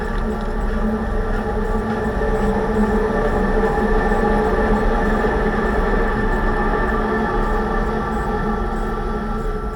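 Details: 2006 Range Rover Sport differential after rebuild for vibration and howling, all new bearings and races; steady droning hum with fixed tone over road roar, loud throughout. Owner suspects pinion preload set too high at 35 in-lbs, maybe should be 20.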